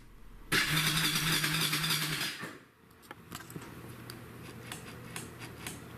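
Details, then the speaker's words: Mid-1990s Kawasaki Bayou carbureted ATV that had started sputtering and was hard to restart: starter cranks under two seconds with no firing beats, then stops; crank no-start traced to fouled spark plug. "this quad had been great but then the last time I got it out started sputtering and just really difficult to restart"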